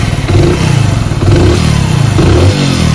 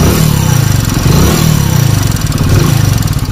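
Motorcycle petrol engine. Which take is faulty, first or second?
second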